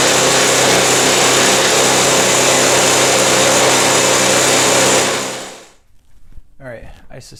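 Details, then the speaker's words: Cheap MTD snow blower small engine with governor issues: screams at a steady, very high speed without hunting, then cuts off; governor spring set too tight, so it overspeeds and needs tuning down. "that it would run high and it is if you heard that"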